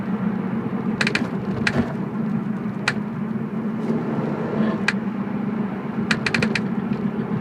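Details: BMW E46 while driving: sharp, irregular clicks about every second or two over steady road rumble, from the rear end. Cause unexplained.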